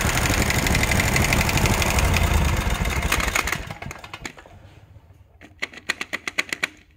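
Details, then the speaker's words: Kawasaki FH601V 19 hp engine on a 1700-hour Scag Tiger Cub that had a runaway governor: the engine winds down into sharp metallic clanks about four a second. Not rod knock; a worn plate that commonly wears out. "hear that clanking it's not rodnock every one of them i've seen this wears out it just where's that plate makes you think you got rod knock"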